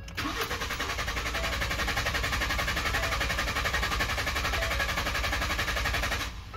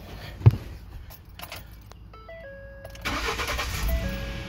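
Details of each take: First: 2012 Ford F-150, intermittent crank no start with no codes; starter cranks steadily about six seconds, roughly four compression pulses a second, never catches; cause was a blown 20 amp fuse 27 powering the fuel pump relay. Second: 2012 Ford F-150 with intermittent crank-no-start, after replacing burnt fuse 27 (fuel pump relay power): key click and dash chimes, then the engine catches cleanly and settles into an even run; normal start.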